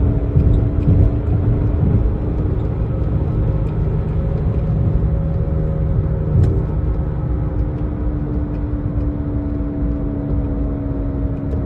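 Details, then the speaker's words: Jeep Patriot driven at about 30 mph and faster: a low droning, whirling growl like an airplane taking off under road noise, shifting in pitch with speed, from a bad left rear wheel bearing. "uh that whirling noise that growling noise whatever you want to call it uh I I like to describe it as an airplane taken off it's coming from that left rear wheel bearing"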